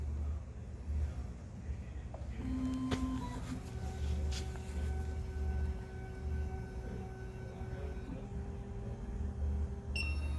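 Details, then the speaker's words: SEC-E9 key cutting machine calibration, automotive key clamp step after swapping tracer back to cutter: low steady motor hum, a few short faint tones, then a clear high beep at the end; normal clamp calibration cycle. "So now what we're gonna do is we're gonna take out the tracer from the cutter, put back our cutter, and go on to number 1, automotive key clamp."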